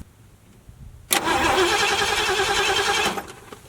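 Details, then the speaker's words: 1974 Ford Galaxie 500 that sat two decades: steady rhythmic cranking, about three and a half turns a second, never firing; crank no-start, no spark, with the old points worn thin and unable to spark, new points to be fitted. "this one it's worn you can see that it's pretty thin so I'm just wondering you know I couldn't even make it spark off of this"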